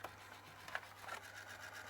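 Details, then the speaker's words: ZX Spectrum +2A tape deck playing, needing service: scratchy rubbing hiss and uneven scraping over the motor whirr; pause mechanism rubbing the flywheel, so it won't load. "you can hear the horrible noise coming from the tape deck. So I'm not even going to try and load."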